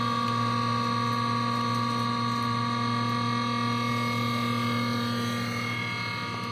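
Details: Whining noise from a vehicle DVR unit with ignition on: steady high electronic whine over a low hum, the same noise as before the hard drive was changed; owner suspects the internal fan.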